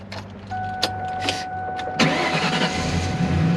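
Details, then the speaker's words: 2003 Ford Mustang Cobra "Terminator", supercharged, two previous owners, first start for the new owner: a short chime, then the engine catches cleanly and settles into a smooth, quiet, steady idle with no knocks or ticks. "It purrs, baby. Yeah, it's quiet. Purrs. Holy cow, it's quiet."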